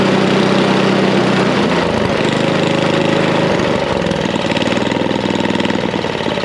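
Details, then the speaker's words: Snapper I 422 snowblower, a non-runner suspected of bad gasoline: steady, even chugging at idle with no misses or hunting, a confident settled idle. "You can hear at idle, it's chugging along, but it's not really missing. It's not searching. It's just nice and got a nice confident idle."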